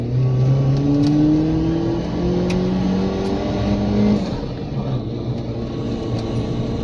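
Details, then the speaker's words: Mitsubishi Pajero Mini turbo, five-speed, new custom 2-inch exhaust with small turbo muffler, no converter, exiting under passenger seat; clean throttle blips rising and falling smoothly, mellow down low, no rattles or misses; normal exhaust note. "han the actual exhaust note is nice and mellow down low it's going downhill diesel it's not real drowning"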